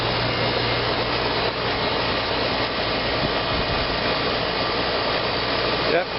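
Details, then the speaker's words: 1993 Carrier air conditioner outdoor condenser unit: even fan rush over a low, steady hum with no knocks or rattles, smooth and not very loud; normal running. "she's a smooth runner. Not a very loud unit."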